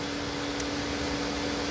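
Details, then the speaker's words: MK5 Golf 1.6 FSI, engine off, radiator fans stay on after first coolant temperature sensor replaced without fixing it; steady fan whoosh and hum, no engine note; fans running constantly, second sensor suspected and later confirmed faulty. "So as you can hear, fans are still going. That was a complete and utter failure."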